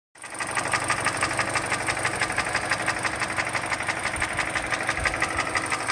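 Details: 2013 Hyundai Elantra GT GLS with 1.8 Nu engine: ticking began around January 2018 at 120,000 km and persists despite 3,000 km oil changes. Sharp, steady ticking about three per second over idle, knock-like in spots; owner suspects a Nu engine design defect; engine ticking.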